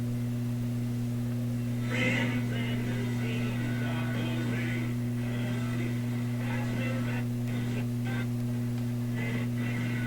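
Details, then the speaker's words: Loewe Opta Type 5966 tube radio at initial power-up, receiving a station: steady low hum under the broadcast, constant throughout; persistent mains hum, filter capacitor suspected, otherwise radio working. "All we got to do with this radio is knock this hum out."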